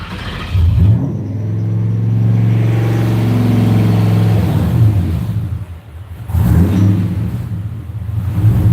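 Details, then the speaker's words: 4.6 V8 on Terminator X V2 ECU, idle being tuned with throttle plate opened and idle set to 800 rpm: deep steady rumble sags briefly, then recovers as the IAC steadies it; normal idle. "I think 800 is what I'm gonna have to deal with. I don't think I could go below 800. So we'll crank it there. We'll set it back at 800 and go about our business."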